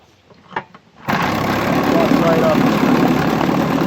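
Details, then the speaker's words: 1959 Johnson QD-20 10 hp two-stroke outboard, hot restart after points cleaned and gapped, coil air gap set, new coils and plugs, dirty carburetor drained; fires at once into a steady even buzz, fuel pump working, good compression. "So got it all out it seems to be running fine. That fuel pump seems to be working too which is amazing."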